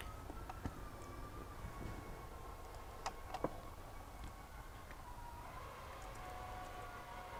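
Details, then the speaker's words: Shop lift being lowered slowly and gently: a faint, wavering high squeal drifting in pitch, with occasional ticks. The source of the squeak is unclear. "the hell is that noise? Are you just trying to see how squeaky it can be? Oh, you're letting it down real gentle."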